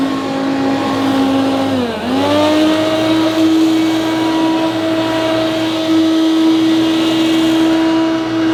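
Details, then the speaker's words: Hoover U2784 Turbopower Boost upright vacuum at maximum, before motor replacement: loud steady high whine with harsh rough edge, brief dip then settles; worn original motor, replaced afterwards. "so this turbo power boost doesn't sound too bad on its low setting but when you click to maximum it's pretty horrendous not as bad as I remembered but still"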